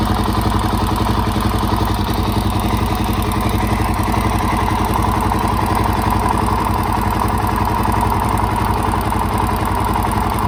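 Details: Suzuki DRZ400SM warm single-cylinder idle after top-end rebuild: light steady tick is the normal automatic decompressor; valves in spec, timing marks correct, cam chain tensioner properly set.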